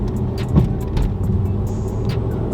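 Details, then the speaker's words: Dodge Challenger with Eibach lowering springs after fitting Megan Racing adjustable front upper control arms, driving over a road reflector: steady road rumble, light tick, no clunks or knocks; suspension sounds normal. "No clunks, no clunks, no clunks. Sounds like it's supposed to sound."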